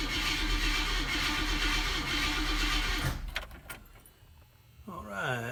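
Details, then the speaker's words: 1965 Oldsmobile F-85 Cutlass cold start after sitting, newly added fuel filter just starting to fill: catches on the prime, runs about three seconds, then stumbles and dies because fuel isn't yet reaching the carburetor through the pump. "Well, last time I worked on this car a couple weeks ago, I did add this fuel filter, and I don't know if you can tell from the angle, but it's starting to get fuel to the fuel filter."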